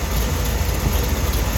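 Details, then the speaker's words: 1971 Corvette, rebuilt numbers-matching V8 with new-looking headers, at idle, heard at the engine bay. Deep, steady, even low rumble with no misses, taps or rattles; smooth and well tuned. "The car is as smooth and as finely tuned as can be."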